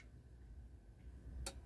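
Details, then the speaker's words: Philips FWM570 stereo after repair of a clicking-relay, no-power fault: one crisp single click over a quiet hum at switch-off. The power relay releases cleanly and the unit stays on its ecopower standby supply. "desligou o relé o LED aqui acende né Aí ele só fica sendo alimentado com a fonte do stand-by que é o ecopower"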